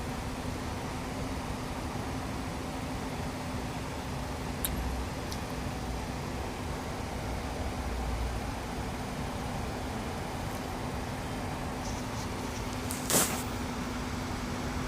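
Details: Isuzu while braking: thin, steady mid-pitched whine sits just above road rumble throughout; braking whine, cause not evident.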